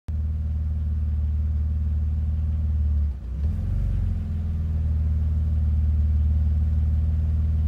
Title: BMW Z3 cold rough idle